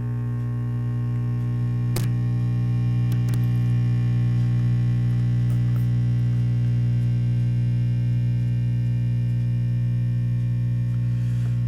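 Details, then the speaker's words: Silvertone Model 6050 tube radio powered up on variac and dim bulb around 70–120 V AC: strong steady low mains-frequency hum from the speaker that never changes; badly humming. "There's our hum noise back."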